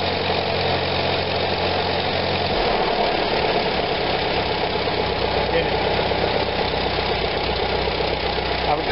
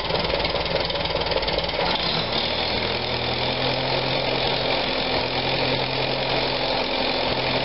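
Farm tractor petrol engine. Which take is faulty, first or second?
second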